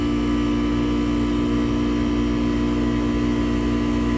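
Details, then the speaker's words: Goodman AC system on a no-cool call after a new single-pole contactor was fitted: loud steady hum with a coarse, labouring pulse, running rough and sounding like it's pumping hard; fan suspected, cause unconfirmed before gauges were fitted. "all right it just took off so that's a good start sounds a little rough though i'm being it's the fan i don't like something in there that sounds like it's pumping down"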